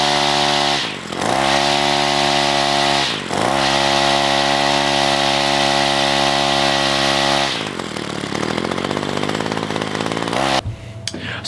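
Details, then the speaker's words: Ryobi string trimmer found on the roadside, first run after reassembly: idles fine, steady high buzz at full throttle dipping twice before dropping back; bogs at full throttle, owner suspects the heavy three-string head, cause unclear. "the weed eater runts and idols fine it seems like it's bogging down a little bit whenever I give it on full throttle"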